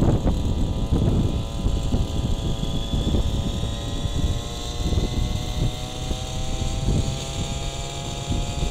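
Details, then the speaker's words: Gas RC helicopter engine, high-speed needle set a quarter turn rich: high steady drone with irregular soft crackles and pops, four-stroking; rich high-speed needle. "a little bit of crackle that's the four stroke"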